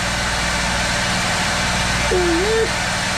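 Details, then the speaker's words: Built-in Onan RV generator as microwave and blow dryer loads switch on; flat constant low drone never rises or dips, fixed speed, while power output turns erratic, dirty power. "see you guys notice nothing no tone change anything in the generator"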